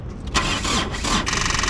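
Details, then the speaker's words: Pajero motorhome with a weak battery reading only 12 V, cranking that fails to start; owner hopes it may catch once warmed. Starter turns sluggishly in uneven bursts and never catches; discharged battery cranks too slowly. "vamos lá não vai virar não vai virar ainda vou ficar sem geladeira ainda vai virar não tem força só tá em 12 lá atrás"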